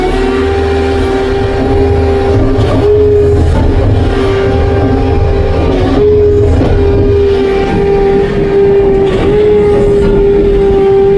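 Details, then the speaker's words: Arrow Hammer 1450H pile hammer on a test pad at 10 below zero, 4-way auto stroke engaged from idle: engine holds a steady drone while the hammer thumps repeatedly at an irregular pace, cycling normally. "We're just gonna push this auto stroke here, and then our hammer will fall. You'll hear the engine rev up, and we're gonna be on."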